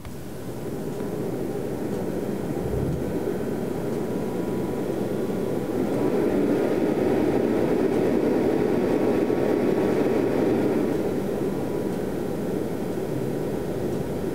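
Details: Rigol DP832 power supply's cheap stock cooling fan, recorded at startup with very high amplification (clock ticking in background): steady loud airy whoosh swells as the fan spins up and holds; horribly noisy fan, later replaced with a Noctua NF-R8.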